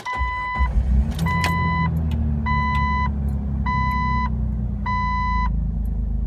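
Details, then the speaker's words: Car that idled rough and stalled at stop signs, after Lucas upper cylinder lubricant and injector cleaner and raising idle by a half turn: catches and holds a steady low idle without dipping, door chime beeping; rough idle solved. "I feel like this solved it it's worth the shot if you're having a rough idle give that a shot no rough idle guys Oh piece of cake perfect"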